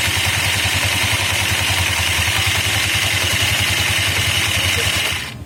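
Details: Honda Vario CBS, CVT just reassembled and a new Champion RG4C spark plug fitted: coarse, rough rasp pulsing about three times a second over the running engine, typical of a worn CVT drive belt; trickling water on it is suggested to quiet it.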